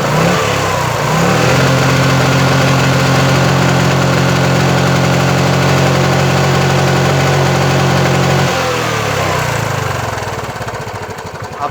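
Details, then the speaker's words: Hot Bajaj Chetak/Legend 4-stroke scooter engine, after about 7 minutes idling, revved: rough uneven knocking and stumbling misfire, though it started on one kick and ran smooth when cold. "देखा कि कैसे इंजन अजीब तरह का नॉक कर रहा है, मिसफायर कर रहा है।"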